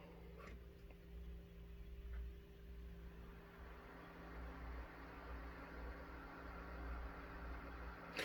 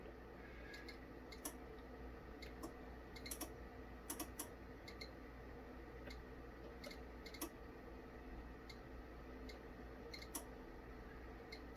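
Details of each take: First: Korad KA3305 dual 30V 5A bench power supply after the whining original cooling fan is replaced with a new one. Soft, even hum with a low steady tone and no whine or rattle. The new fan runs quietly. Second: KORAD KA3305 bench power supply, channel one with no load: sharp, irregular clicks over a faint hum as the tap-changing relays switch in and out at about 6 V, 11.5 V and 22.5 V.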